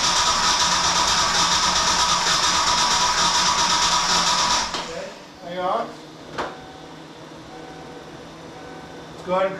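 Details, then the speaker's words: Ford Mustang project car after fuel system replacement, fuel pressure about 54 (target near 60), security light flashing: sluggish, labouring uneven crank for about four seconds then stops; suspected low battery voltage. "sounds like there's not enough voltage does it sound like that to you yeah it's pretty low here"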